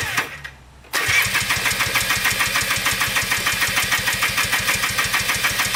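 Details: Polaris Trailblazer 250 2x4 two-stroke quad before top-end rebuild: cranks, catches, then thin uneven ring-ding with weak patchy beat; owner suspects low compression from burnt-out rings, runs inconsistently, won't restart.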